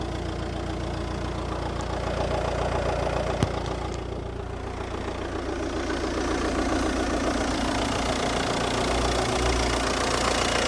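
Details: Audi TDI (BRD engine noted), about 85,000 miles, oil pump changed 20,000 miles ago, injectors and wiring loom replaced, idles with an even metallic ticking two to three a second, worst on exhaust side; cause unknown.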